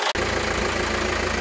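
Even, steady diesel idle with a smooth low pulsing and no knocks, rattles or whistles; engine sounds healthy.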